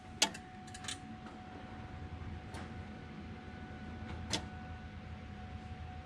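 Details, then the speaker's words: 2002 Mustang GT with Coyote swap, first start attempt via control pack starter signal wired to pink/white starter wire: few sharp clicks seconds apart over faint hum, relays popping, engine does not crank. "I hear it sounds like relays popping. It's down at the starter. Well, maybe not. I don't know. I keep hearing relays popping."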